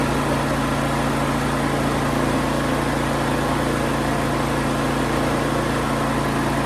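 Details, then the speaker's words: Used Harbor Freight portable generator with some oil seen underneath, started with the choke pulled out. A steady, even engine drone with a constant low hum, no hunting or misses. Healthy: normal running. "I don't know about you guys, but I would say that the Harbor Freight generator is a score. Like I said, my dad's had one for quite some time and it has worked out really well."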